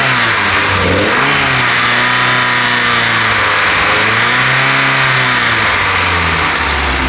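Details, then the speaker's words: VW Golf GTI 1.8 16v during camshaft comparison (KR, ABF, Schrick): revs rise and fall repeatedly, and a droning resonance boom swells around 3000 rpm, then fades; the same occurred with the ABF cams. "entendez vers 3000, il y a une résonance. Elle est là, c'est la même avec les arbres d'ABF."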